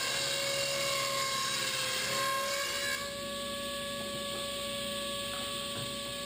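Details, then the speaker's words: 8-tooth low-kick ripping blade on a table saw ripping generic 2x4s into 1-inch stickers with dust collection; steady high whir, individual teeth strikes audible, different whirring sound than other blades, no chatter or bogging: normal ripping cut. "You can almost hear the individual blades strike. And it also makes kind of a different whirring sound compared to my other blades."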